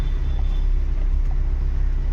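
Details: Audi Q3 diesel that cranked but wouldn't start after sitting parked two days, with a fuel pump fault code: after the fix, a low, even diesel rumble at idle with no misses, knocks or hunting; the code is cleared and the engine runs fine.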